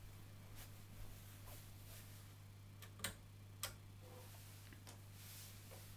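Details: Peavey ValveKing 212 tube guitar amp making noise that has become much louder than before: a steady low hum near 100 Hz under scattered sharp pops and clicks. The cause is not yet traced.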